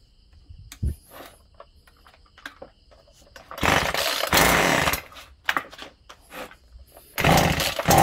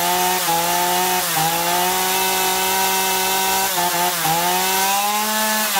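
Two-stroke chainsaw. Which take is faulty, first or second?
first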